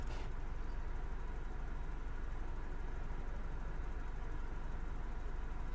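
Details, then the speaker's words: 2007 Mini One 1.4 N12 petrol after the repair for idle bouncing and error 2982, fully warm, intermittent airflow-meter codes still appearing: smooth, even low rumble holding steady with no hunting or surging; normal idle. "So it's running smooth, it's not surging or anything like that."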